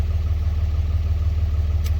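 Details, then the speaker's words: 2003–2007 Dodge Ram Cummins diesel, before fuel pressure relief valve replacement: deep, even idle with a steady low throb and light clatter, no misses or surging. The owner reports no running or power issues. "I don't have any issues with it running or any power issues"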